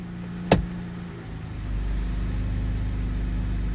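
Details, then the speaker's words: 2019 Dodge Grand Caravan, 109,000 miles, after CV axle replacement: single soft clunk into gear, then steady low engine rumble moving the van; transmission works, though it feels a little rough and rumbly. "let's see the transmission's working that's the main thing let take this it feel a little rough and rumbly"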